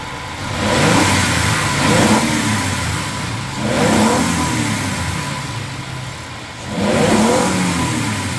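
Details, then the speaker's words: 2005 Suzuki Grand Vitara 2.5L petrol with a low-power complaint, exhaust back pressure tested through a spark plug hole during snap throttle: revs climb sluggishly and sound choked, falling slowly. Exhaust restricted; catalytic converter suspected. "now that we know it's blocked let's see if we can see what's going on with the exhaust system otherwise I will unbolt the cat and do another test and go from there"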